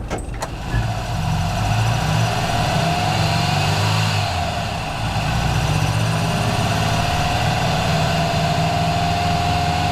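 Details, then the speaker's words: Freshly installed 1904cc CB Performance flat-four with dual 40 IDF Webers in a 1967 VW Bus, in break-in, no rev counter: after start, deep even drone pulling smoothly with road noise at moderate revs; healthy, GoPro recording. "when you put your foot down, it goes. The sound is fantastic. I hope the GoPro can pick up that sound, because, man, it is"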